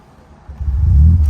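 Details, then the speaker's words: Mercedes 190E, about 32 years old, after it died at a dealership: near silence, then the engine catches and settles into a low even rumble; it restarts after stalling. "um I just pulled into Mercedes in the car to hide oh there's Brandon Brandon my car just died"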